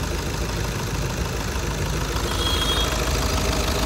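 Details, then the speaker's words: VW Jetta after a major service (engine oil flush and new Shell 5W-40, coolant flushed) idles at a steady, even pace in heavy rain with no knocks or ticks, quieter on starting than before; normal idle. "Service చేస్తే proper దానికి కూడా freshness అనేది తెలుస్తుంది సౌండ్లోనే."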